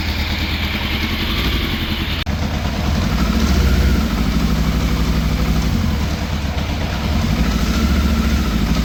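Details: 1980s Yamaha FZ750, fire-damaged, running on full choke before a carburettor strip: revs surge to about 2000 rpm and sag back every few seconds, hunting idle; cuts out as choke is reduced, cause unknown.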